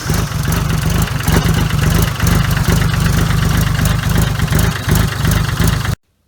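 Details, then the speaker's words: 30-some-year-old diesel tractor at about 20 degrees, after adding a starter solenoid relay: catches quickly and settles into a firm, even chug, no dragging crank or hesitation. Normal start and idle. "Now I have the relay in place, so I'll show you how it sounds when it tries to start with the relay."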